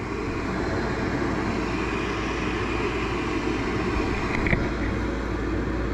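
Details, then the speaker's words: Natural gas garage heater converted to propane, first fire-up on a temporary circuit and thermostat, cover back on: steady even whoosh of flame and exhaust fan, no rattles or hum; only slightly warm, running normally. "There it goes. Exhaust fan just kicked in. Only slightly warm. Beautiful."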